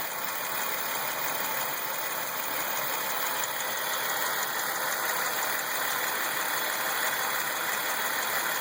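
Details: 2003 Chevrolet Lumina, 3.8 V6 (3800) at idle: light quick ticking about three per second over a faint high whine, possibly alternator; tick cause unknown.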